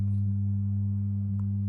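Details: Original heavy Amiga 500 power supply before repair: a steady whine heard through the speakers. Scope on the 5 V line shows 600 mV peak-to-peak ripple at 200 Hz; caused by power supply ripple.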